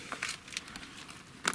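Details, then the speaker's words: Approved-used Land Rover Discovery Sport HSE Black, owned one week. Faint scattered plasticky ticks and crackles, with a sharp cluster near the end, and nothing from the engine; owner traces the noise to weak, loose front interior trim, not the temporary plates someone else blamed. "Well, there is a noise coming, and from what I've determined, it's to do with the trim."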